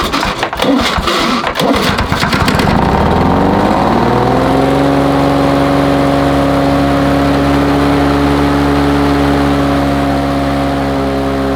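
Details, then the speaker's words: Lawn Boy two-stroke mower after the brass carburettor bolt was turned in, previously very rich with low revs: catches after a few sputters, then a steady but slightly uneven, lazy buzz. Runs much better but still not perfect; rough running. "right then so that runs runs a lot better than it um bit of a snow there it runs a lot better than it did before but it's still not quite perfect"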